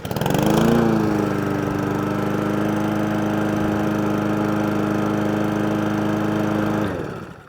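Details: Lawn mower, switch click heard when the handle lever is pulled: pulls over and fires straight away, settles to a steady, even drone for several seconds, then shuts down cleanly; normal running.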